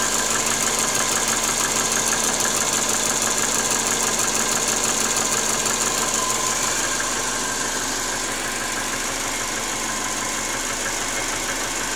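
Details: 1997 Subaru Forester SF5 turbo, cold unwarmed engine: sharp regular knock about twice a second from cylinder 4 over the engine hum, piston slap.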